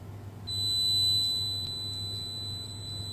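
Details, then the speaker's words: Beko WMB71033S washing machine control board (MARC00421R) with clicking and no display: multimeter gives a steady continuous beep on the DC VCC bus at ATmega64A processor; short circuit on supply rail. "chúng tôi bị đoản mạch trên đường dây nguồn DC"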